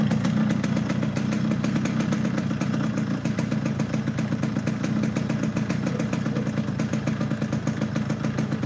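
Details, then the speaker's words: Yamaha RX King two-stroke (hard to shift gears) idling, not ridden: busy uneven crackle of quick pops with flat dull note; engine down on power by sound, cause suspected but not confirmed. "Udah kelihatan kalau ini mesin tidak power, dari suara udah kelihatan. Ini motor nggak lari ya bos, tenaganya ngempet. Dari suara mesin kedengeran banget."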